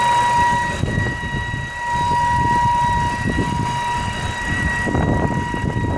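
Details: 2011 BMW 328i E90, running: a loud, steady, siren-like high whistle around 1 kHz that holds pitch, then drops out; the engine tries to bog when it happens, especially with the AC on or after long highway trips. Source undetermined.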